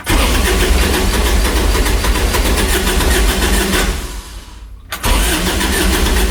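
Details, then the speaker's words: Kubota RTV900 diesel UTV (stated as 2007 and 2009) that was blowing white smoke, cranked after a head gasket repair. Battery reads 12 volts and fuel is reaching it. Steady fast starter chugging, about three turns a second, never fires: cranks but won't start. "Doesn't want to go. We're getting fuel to it."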